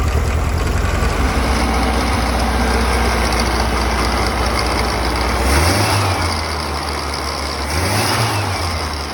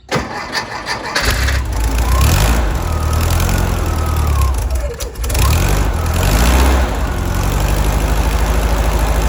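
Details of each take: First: 1964 Karmann Ghia 1600 engine with replacement carburettor, after linkage modification, with a history of not idling below 1500 rpm and stalling: uneven idle with steady hiss and light rattle after throttle blips; vacuum leak plus loose alternator. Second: 1964 Karmann Ghia 1600 engine after fixing a vacuum leak and replacing the rattling alternator: deep, even idle with no rattle, running smoothly; it previously wouldn't idle below 1500 rpm and stalled. Normal idle.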